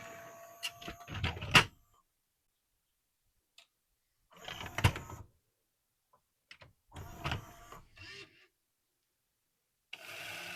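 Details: Pioneer CLD-3090 LaserDisc player with an AC-3 disc, after the AC-3 mod board install: bursts of whirring and clicking, then a steady rushing spin as the disc spins up. It is an odd noise; the cause is uncertain.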